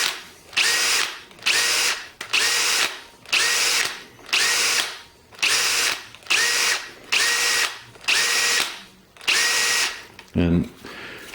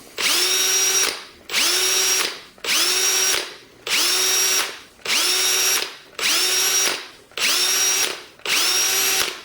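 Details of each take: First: Milwaukee 2607-20 cordless hammer drill comparison: a different drill gives about ten short whirring spins, each winding down to a light clink on trigger release, occasionally more pronounced; normal, unlike the Milwaukee whose rapid shaft lock loosens its chuck. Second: Milwaukee 2607-20 cordless hammer drill whines up and is released about once a second, cutting off hard each time; the abrupt stop's chuck inertia loosens the chuck so bits fall out.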